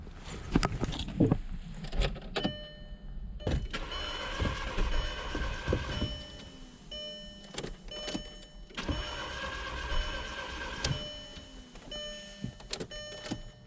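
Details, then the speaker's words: 2.0 Jetta that stalled and sat about two months with a dead battery, cranked on a jump box; two steady cranking spells that never catch; starter sounds good and fuel pressure is present, so fuel is ruled out. "The first I was trying to start it, turned over. Starter sounds good."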